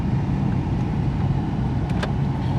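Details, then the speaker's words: Truck heater blower after cleaning leaves and debris from the squirrel cage, set on defrost: steady even low whir, no rattles or scraping, blowing vents much better; normal blower operation. "There's some stuff in there, probably down the tubes, but it sounds a whole lot better. And it's blowing out these vents a whole lot better. Okay? Sounds a whole lot better. Running a lot more efficient now, I bet."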